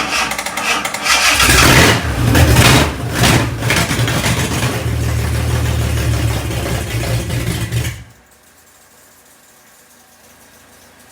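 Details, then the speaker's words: Fake 80s supercar replica after cleaning gummed-up carb linkages: cranks briefly, catches and barks into deep throaty run for about six seconds; carb now feeding properly. "Oh, hey! Bloody hell. Sounds like a monster."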